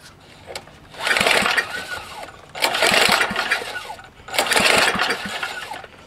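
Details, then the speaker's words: Long-sitting Tecumseh HS40 small engine, choke full, not primed: three hard pull-cord rips about two seconds apart, never catches or fires; cranking no-start, owner blames fuel starvation from a dirty carburetor. "a little gas down the cylinder no i didn't even prime it chips dirty carburetor definitely yep"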